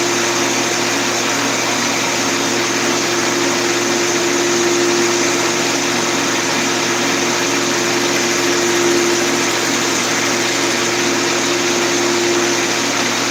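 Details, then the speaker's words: Woodworking machine motor running steadily with a thin whine over a rough gritty hum; its bearings are worn and need replacing. "Man, I gotta replace the bearings in this thing. You hear it, I hear it."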